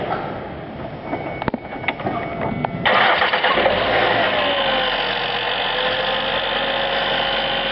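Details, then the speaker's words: Ford Escape 4-cylinder (stated as a '96, titled '06) at start: cranks and catches, then a steady whine rides over the idle and slowly settles in pitch; bad alternator, before replacement. "Okay, so this is a 96 Ford with a 4-cylinder in it, and it's got a noise going on the alternator."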